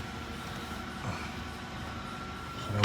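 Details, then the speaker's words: 2016 Lincoln MKZ electric parking brake during brake job, entering maintenance mode: faint steady electric motor whir for a few seconds ending in a thump as rear calipers retract; normal retraction. "I hear the calipers it oh it's gone inside the maintenance mode"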